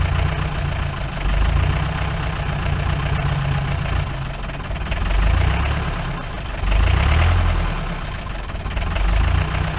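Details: 1953 Mercedes 170D W136 four-cylinder diesel, revived after being seized, smoking: hard rattling knock at idle that surges and fades, clears up a little; owner suspects worn injector nozzles needing replacement.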